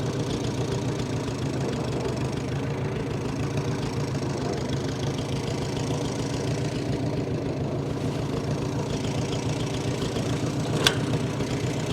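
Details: 1945 Farmall H tractor, long sat, started to drive off the trailer: low idle with an uneven, loping beat and irregular stumbles. Running better than before but still rough.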